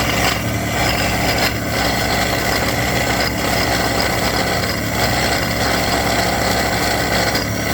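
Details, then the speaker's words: 2008 Ford Escape, serpentine belt drive at idle: harsh gritty grinding and rattling with periodic swells; idler pulley bearing completely gone after running this way a while, pulleys and tensioner to be replaced. "bad noise because the bearing so as you hear the bearing in this pulley is completely gone because it's been running like this for a while"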